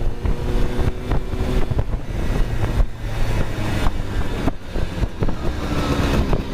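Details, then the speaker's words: Ex-museum Honda Cub EZ90 two-stroke, long on display, now running on a substitute battery, recorded while ridden down the street: buzzy, pulling cleanly under throttle with heavy wind rush. Engine healthy and runs smoothly. "well that's the most i've ever ridden it but it really goes good"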